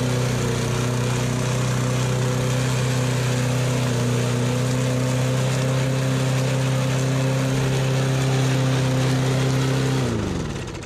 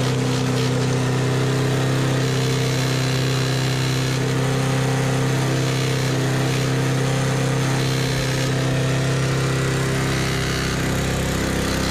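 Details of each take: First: Used push mower: steady, even drone with no misses or rattles until switched off and winding down; runs cleanly. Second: Used push mower with a spark plug found extremely loose: loud, uneven small-engine drone with a wavering beat that never settles to idle; it won't idle and runs rough.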